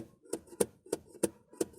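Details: Ford Fiesta suspension giving dull, sharp pops about three times a second as the strut compresses. The rubber dust boot sticks on the shock absorber and snaps free, often mistaken for a bad strut mount or shock; fix is trimming the boot.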